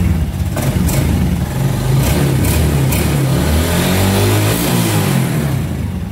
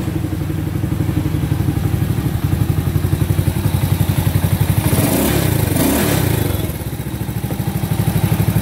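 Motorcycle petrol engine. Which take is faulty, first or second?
second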